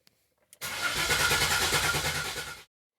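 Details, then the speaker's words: 2004 Buick Regal GSX turbo 3800 with turbo and cam upgrades, priming before first start after the build, on a new Walmart EverStart battery: strong even cranking at about three turns per second; starter and battery healthy. "Battery sounds good. Got a good old Walmart EverStart."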